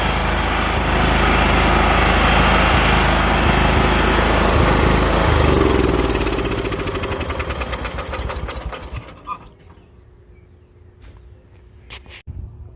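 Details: John Deere 170 lawn tractor single-cylinder engine, running in first gear during transaxle test: even, rapid beat that slows and winds down to a stop; no knocking or misfire, has stopped smoking, runs healthy.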